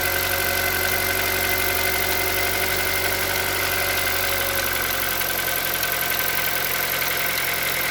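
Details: Cold-start idle on a Hyundai Solaris 1.6: busy, uneven light tapping, about three to four per second, over a steady engine hum; engine knock when cold, cause unknown.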